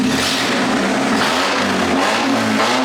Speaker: Motor runs pretty solid. Smokes like a freight train when you throttle it up.